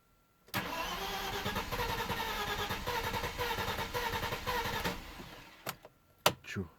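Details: Audi A4 B5 2.8 V6 142 kW petrol: starter spins steadily for about four seconds but it never catches; caused by bad gasoline, solved with octane additive. Crank no start.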